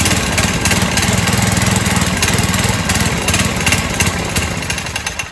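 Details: 1970s trike (believed MTD Mud Bug) with a ~5 hp John Deere single-cylinder, after clearing the fuel feed so gas reaches the float bowl: it putters at a steady, fairly even beat and keeps running on its own fuel.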